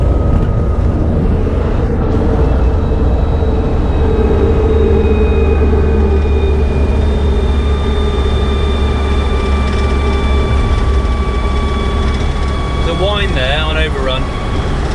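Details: Land Rover Defender coasting on overrun at high speed, around 100 mph, with the front propshaft removed: a thin steady whine over road and wind roar. The transfer box front output bearing is suspected but not confirmed. Whine on overrun.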